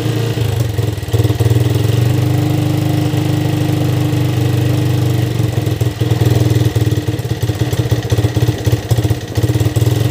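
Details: Yamaha Vixion motorcycle engine that died from running out of oil, after spark plug replacement: steady even single-cylinder idle with small throttle blips, no misses or knocks heard; normal idle.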